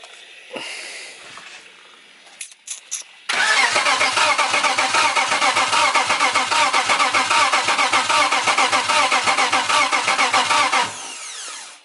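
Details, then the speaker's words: BMW E90 with a turbo M52 swap and a tuned ECU on its first start attempt: the starter turns the engine in an even churning rhythm for about eight seconds but it never fires; cranks without starting. "air fuel spark you only need three things to fire an engine you got a crank nose start which means it's cranking"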